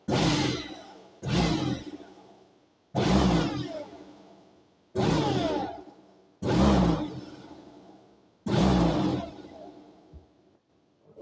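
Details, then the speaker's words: Makita ELM3720 electric lawn mower (1.4 kW, 2020 model), test after a blocked-belt repair with a new part fitted: six short whooshing spin-ups coasting down with no grinding or squeal, the motor running freely. "Okay. Strādā. Strāvas atvienoja."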